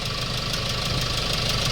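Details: Hyundai Starex D4CB diesel, replacement engine for blow-by, still on plain water coolant: steady, even idle clatter with no knocks or hunting; no smoke from breather or oil spray at oil cap; healthy.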